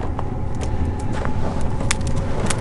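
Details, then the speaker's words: Cheap Chinese diesel heater, cold start in cold weather, about five minutes in: loud steady low roar with light fuel-pump ticking as it winds up; normal loud start-up phase, quiets once running. "i think it's really winding up now hear that it's not always that loud once it really gets going kind of quiets down initial start up"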